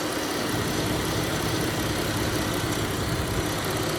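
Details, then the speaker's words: 2018 Dodge Caravan SXT after oil filter cooler housing O-ring replacement and Time-Sert thread repair, temperature rising, thermostat suspected: radiator fan kicks on with constant even whoosh over steady idle, no wobble or rubbing; runs smoothly. "That's brand new. Fan is blowing in there. Fan's burning."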